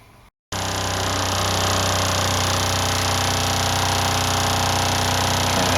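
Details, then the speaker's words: RV fresh-water pump, before fitting accumulator tank and pump silencing kit: loud, steady droning buzz at an even pitch, pump vibrating and rattling against its mounting, heard throughout the RV. "basically what you're trying to do here is stop all the dang racket this pump makes right here"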